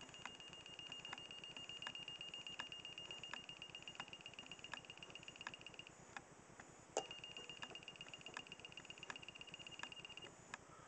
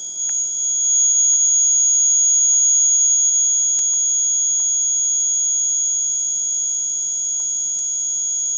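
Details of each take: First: Tester from a Kewtech test-kit bag, offered up to a large socket and held right up to the mic: a thin, high beep cuts in and out, barely above room noise. Its alert should bleep loudly; owner suspects flat batteries. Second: It gets into your ears after a while. Again, the buzzer version is quite handy to have because you can go and plug that in the socket, right?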